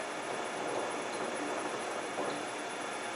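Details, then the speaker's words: Gearbox on a test bench with hypoid EP90 gear oil, in diff lock, under load: smooth, even hiss of spinning gears with no rattle or chatter, just gear teeth running; normal gear mesh under load. "so when you're driving your car you wouldn't hear that it sounds bad but it isn't really it's just the teeth that just sort of thing"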